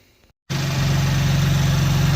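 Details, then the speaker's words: 2015 BMW M3 (F80), 148k miles, after replacing the snapped serpentine belt and pulleys: engine just cranked, smooth even idle with steady low pulses, no squeal, chirp, pulley noise or rattle; alternator working, no check engine light. "just cranked it up and as you can hear it's nice and quiet in here there's no pulley line alternator seems to be working great"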